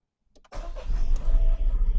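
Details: Car starting in neutral after wheel speed sensor was connected and stored fault codes cleared: brief click, then the engine fires and runs with a deep, steady rumble and no stumbling; healthy start and idle.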